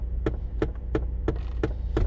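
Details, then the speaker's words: Car that had sat unused, possibly with a new battery, idling after start: a steady sharp click about three times a second over a low idle hum as the blend door actuator keeps hunting and clicking. "Oh, that blend door actuator needs to stop."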